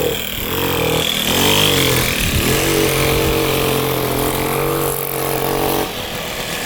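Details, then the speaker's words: 1978 Puch two-stroke moped ridden uphill: the drone sags and struggles to pick up revs, flat and boggy. The owner suspects a partially clogged exhaust pipe; later the pipe was found packed with carbon. "It's a little boggy. Didn't like going up the hill. So, I think the pipe is partially clogged."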